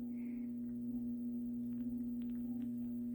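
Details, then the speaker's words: AC/DC Pro pinball cannon motor, energized as soon as the machine is on: steady low hum near 220 Hz with no pitch change; the motor is trying to turn but stalled, and the cannon does not move. "as soon as i turn on the machine it's making some noise um okay give me one moment i'm going to investigate i'll be right back okay i found the issue the motor is trying to turn"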